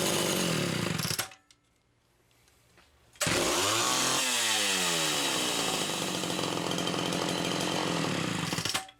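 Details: Homelite Super XL chainsaw test-running carburetor number 2 after its Welch plug was replaced; both mixture screws had been over 3.5 turns open. It fires, drops briefly, then revs cleanly into a crisp, steady high-pitched scream without stumbling. Judged good.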